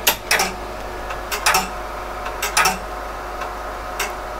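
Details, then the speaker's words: PDP-11/34 booting from an RX02 drive 0 with a double-density RT-11 floppy: sharp clicking seek bursts about once a second in repeating clusters over fan hum; repeated read attempts, later traced to a corrupt block 32. "notice this time it does something different it runs through a few times"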